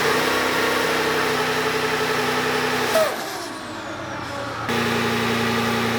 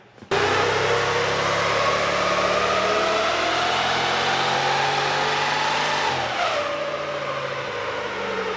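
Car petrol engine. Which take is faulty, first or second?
first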